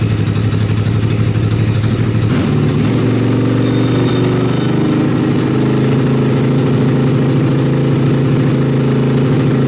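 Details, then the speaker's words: Dune buggy first start after sitting for months outside under a tarp, carburetor not cleaned: a steady engine idle settling at a noticeably fast speed; the idle needs turning down. "okay it sounds like I need to turn the idle down a little bit but it actually still runs"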